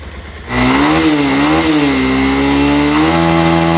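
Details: Pulsar motorcycle engine: settles into a steady, even buzz with a brief rev rise and fall, no knocking, rattling or ticking; smooth, normal running.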